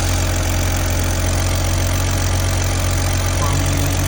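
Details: 2002 BMW 330Ci inline-six after intake manifold work with X5 and upgrade parts swapped over, check engine light on at start: loud, steady low idle with an even beat, no misfire or ticking; settling in fine.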